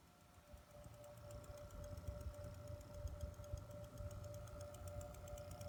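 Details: Two-week-old Corsair CX750M power supply in a PC with a stock-clocked 4790K and GTX 980 makes a rapid, fairly regular clicking, about three a second, over a steady hum and low rumble.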